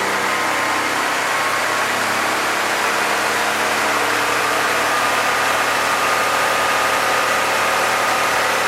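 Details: 1966 Chevrolet C20 with Chevy 292, ring break-in: engine run at about 2,000 rpm fast idle; steady, even hum with no knocks, ticks or rattles. Normal running, no new noises, oil pressure held, coolant didn't overheat.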